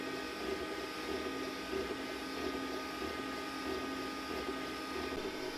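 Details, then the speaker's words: Glowforge Basic laser engraver printing after the loud stock exhaust fan was replaced by a larger inline fan at half speed, same mic position: faint smooth hum, soft ticks from the moving arm. Normal quiet fan operation. "now pretty much all you hear is the actual arm of the laser moving"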